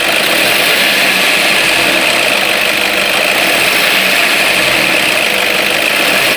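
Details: Toyota Innova, warm idle: the noise appears after 15–20 minutes of running once the engine is hot. A steady, piercing high squeal never lets up, confirmed as the alternator drive belt slipping; serpentine belt squeal.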